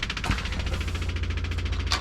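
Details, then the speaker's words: 1957 hot rod at key-on, engine not running: the electric fuel pump ticks rapidly with a low buzz but no fuel reaches it, from a clogged filter. The dirty, rusty fuel tank is suspected. "so we're not getting any fuel at the fuel pump"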